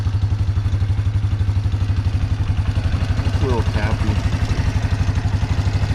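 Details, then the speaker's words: 1997 Yamaha Big Bear quad, warmed up at idle: even thumping about four beats a second with light ticking on top; owner suspects valves needing adjustment or a stretched cam chain beating its automatic adjuster, not confirmed. "It's got an automatic adjuster on there, but maybe the chain stretched so far it's not working as it should, but it's not real loud, but it makes a little bit of noise."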